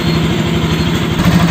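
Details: Bajaj RS200 single-cylinder after valve tappet adjustment and air filter replacement: ticks over with an even pulse, then picks up a little; no stray tapping over the beat; healthy.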